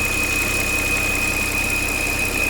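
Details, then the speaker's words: Volvo XC90 3.2 at idle: a constant high whistle from under the hood stops when the dipstick is pulled, and the engine starts shaking. Torn crankcase ventilation (PCV) diaphragm; housing or diaphragm to be replaced. "достаем щуп вот и у нас свист пропадает мотор начинает потряхивать это неисправна вентиляция вот здесь стоит мембрана она как раз таки порвалась"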